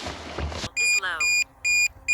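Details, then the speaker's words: Drone controller gives evenly spaced high-pitched beeps, about two per second, after wind noise, warning of a low drone battery; the lithium batteries drain quickly in very cold weather. "you hear the beeping there on the sound that's actually the battery and the Drone batteries don't last that terribly long in this really cold weather"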